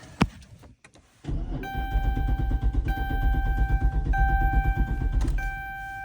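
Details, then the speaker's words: 2014 Dodge Charger Pursuit Hemi AWD: a thunk, then the V8 catches and runs about 3 seconds with a dash chime before dying and won't restart; fuel pump apparently not heard. "Oh boy. I just turned it on. It ran for maybe 3 seconds and then died. And now it won't turn back on."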